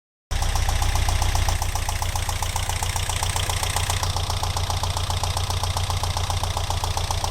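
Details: Alfa Romeo 166 2.0 TS, knock began after head gasket replacement; tappet buckets ruled out, variator checked; stethoscope places it on the right side near cylinders 3 and 4: sharp regular tick nearly four per second over steady idle; engine knocking.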